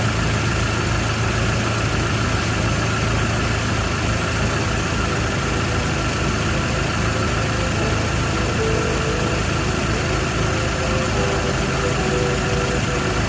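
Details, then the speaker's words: Toyota Hilux 2WD pickup after fixing an exhaust leak under a block-off plate (loose and missing nuts): steady, even idle with a smooth low rumble, no ticking or puffing from the exhaust; quiet, normal idle. "Our exhaust leak should be quieter than it was this last time around, so let's find out. Look at that. Quiet like a sewing machine."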